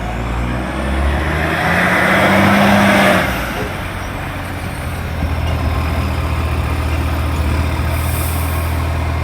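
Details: NAWMA FOGO 3520 diesel: air brakes hiss, then the engine settles into a loud, raw, rapid puffing rumble at idle, the sound of a large exhaust leak.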